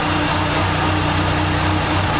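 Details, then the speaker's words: 1989 Dodge Daytona ES, cold, on lift after exhaust work: steady even idle with deep exhaust drone, no ticks or knocks, paint burning off the converter; healthy. "a little cold nature but uh sounds good running some of that uh painting stuff off of the converter"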